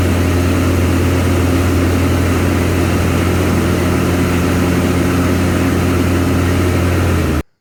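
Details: Craftsman Z530 zero-turn after deck repair (deck locked in place), blades engaged: steady even drone and low hum, no grinding, rattle or squeal; deck healthy.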